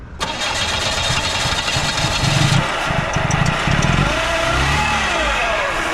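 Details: 1996 Oldsmobile Cutlass Ciera cranked after sitting long enough for the wheels to rust; the starter whirs briefly, the engine catches cleanly and settles into a smooth, even idle with no misfire or knock; normal start and idle.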